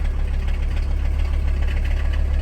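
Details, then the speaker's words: 1981 Mercedes W123 300CD diesel coupe, unstarted 4+ years: heavy lumpy idle with buzzing rattle and vibration that stops with a little throttle; owner thinks loose body panels vibrating. "Something that's making a lot of weird noises here, just the vibration. But if I get on the throttle a little, it stops."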